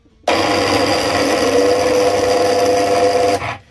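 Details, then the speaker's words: Single-phase asynchronous motor started with two capacitors: abrupt start, rough noisy running with steady mid-pitch hum, then cut off; runs unclean, capacitor sizing suspected, bearings also possible. "так сейчас произведем запуск двумя конденсаторами [музыка] работает не очень чисто как тот и наоборот"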